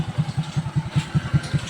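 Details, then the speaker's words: Honda XRM 125 carburetor single-cylinder, repaired for exhaust smoke, exhaust pipe refitted: even, soft low idle putter about five pulses a second, very quiet, no tapping or piston slap; earlier it had a connecting-rod-like piston slap. "Ito na yung kanyang andar ng nilagyan na natin siya ng pipe. Ayan o. Sobrang tahimik ng makina mga boss. Walang kalagi-lagitik. Walang piston slap."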